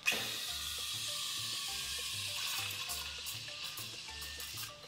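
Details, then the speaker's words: Steam wand texturing milk in a jug: after a no-air sound, the jug is lowered to give a soft, steady tearing "sloping" hiss with no screaming, showing correct milk aeration from proper steam arm position. "what you need to do is lower The Jug so you hear that sloping"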